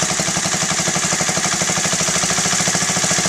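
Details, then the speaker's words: Honda Z50A Mini Trail 50 single, freshly rebuilt carb: the pilot air screw is opened a half turn beyond 1.5 turns out and the quick, even idle speed rises, seeking the highest RPM. "so it increased in speed. So that's what you want to do. You want to find the highest RPM."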